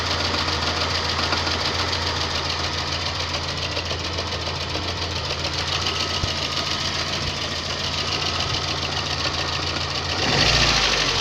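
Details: VAZ 2110 engine, warmed up at idle: even, sharp tapping about three and a half times a second from inside the engine; engine knock when warm, cause unknown.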